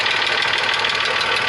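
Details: VW Passat Variant 35i VR6 after long storage: fast, even light ticking over a slightly uneven idle, engine not running smoothly; suspected hydraulic lifter tick, owner considering an additive; cause unconfirmed.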